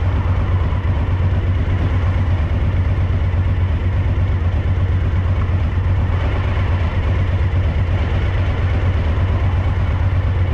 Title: DL1000 rear cylinder misfire a